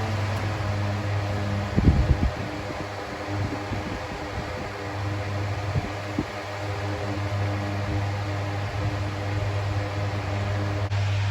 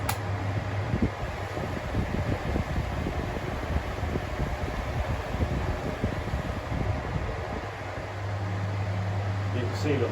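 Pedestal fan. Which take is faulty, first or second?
second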